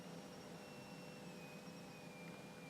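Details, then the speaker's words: Repaired Geiger counter oscillator: thin, steady, pure high-pitched whistle sliding in pitch as the frequency dial is tweaked toward the marker, over faint hiss; oscillator responding normally to adjustment. "so i'll tweak the dial here the frequency changing"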